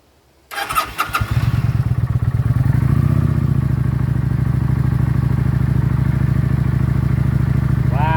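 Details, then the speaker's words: 2019 Kawasaki Vulcan Classic LT V-twin with acceleration issues, just after new spark plugs. A brief crank, then it catches and settles into an even, steady idle with no misses; it runs smoother with less vibration than before. "it's running smoother it's not vibrating as much"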